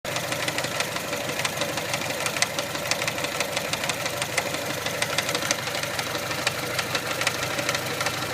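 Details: 1999 Mitsubishi Pajero iO, 4G93 petrol engine: sharp metallic ticking about three per second over a steady idle, a knock from the engine front; owner unsure, suspects the crankshaft pulley, which wobbles noticeably; also grinds at 2.5-3k rpm when coming off throttle.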